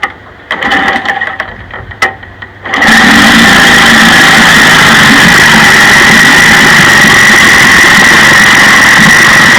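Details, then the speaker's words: 1956 Johnson 15 HP two-cylinder outboard running: loud, uneven sputtering as the top cylinder misses fire, after the miss moved from the bottom to the top cylinder despite both sides jumping a quarter-inch spark gap. "all right so you can see it's pretty obvious that the top cylinder is missing fire"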